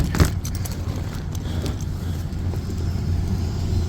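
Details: Rooftop HVAC unit at a coffee shop, whose blower wheel earlier had a loose screw wedged in it: a steady, low, even blower hum with no scraping or rubbing, just handling clatter on top; normal blower operation.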